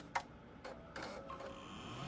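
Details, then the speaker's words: Power Mac G5 after RAM reinstalled in pairs (earlier two power-light flashes, no RAM detected): soft irregular ticks then rising spin-up hum as optical drive loads the disc, which it wasn't doing before; normal. "oh whoops sorry maybe they were installed properly I don't know but I can hear it loading which it wasn't doing before"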